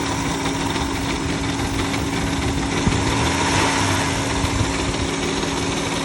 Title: Chrysler Town & Country 3.8L 4th Generation (2006) rough idle at stop, but goes away when restarted